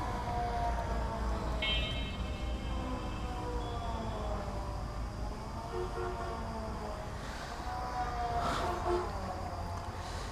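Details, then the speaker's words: Motorcycle ridden on busy road: wavering high airplane- or helicopter-like whine rising and falling with road speed over engine drone, suddenly coming from the bike; source unknown, rider heading to mechanic. "I thought this sound is coming from another vehicles. This sound is like a plane."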